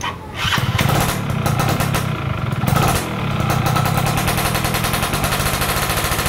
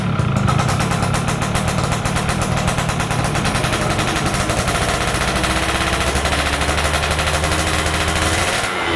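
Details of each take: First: Stock F1ZR two-stroke during a wet carburetor tune: it crackles and blips up quickly from low revs with some popping, picking up cleanly; normal revving. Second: Yamaha F1ZR stock carburetor two-stroke with a larger pilot jet; crackly buzz picks up sharply off low throttle and RPM climbs fast at initial throttle, showing a rich pilot circuit setting.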